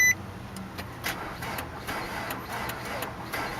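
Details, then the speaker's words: 2003 Nissan Altima 2.5 with blown engine, 101,000 mi, sitting eight months: faint, sluggish, uneven cranking that never catches because the battery is too weak. "Battery take five or so. Yeah, battery's not strong enough."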